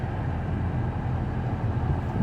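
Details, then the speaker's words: 2011 Toyota Highlander cabin blower motor on full high speed, cabin filter missing: steady, uneven low rumble or loud whine that happens only on high, caused by debris or leaves in the blower motor. "um and it only happens on high and the reason why it does that is because there's something in the blower motor it could be a bunch of debris or even something as simple as one little leaf"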